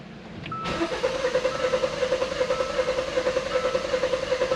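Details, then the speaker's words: 2015 Hyundai Santa Fe Sport 2.0L turbo, 200,000 km, rough idle and check engine light: the starter cranks at about 2.5 pulses a second with uneven beats. A weak cylinder is suspected, possibly cylinder one mechanically, before a relative compression test. "So something wrong with that cuz it should be if you know if all um what do you call that? If all the pistons are contributing to each cylinder, right?"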